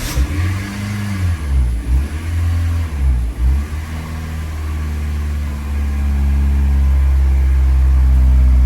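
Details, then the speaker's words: Car after throttle body deep cleaning and idle relearn calibration, started cold: it wavers briefly, then holds a steady idle a bit high because the engine isn't hot (should drop below 1000 rpm when warm); no check engine light; normal cold idle. "That went pretty well. So basically the car is idling properly. Now you see the RPMs are a bit high. That is because the engine is not hot."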